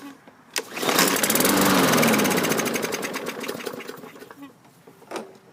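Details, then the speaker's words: 2015 Yard Machines 21" mower, 550E engine, poorly maintained with low oil, dirty filter and contaminated fuel, given starting fluid: catches with rapid popping for about three seconds then dies; owner suspects dirty carburetor, water in bowl or plugged jets. "You heard it fire off there momentarily, and then it crapped out. Indicative of a dirty carburetor."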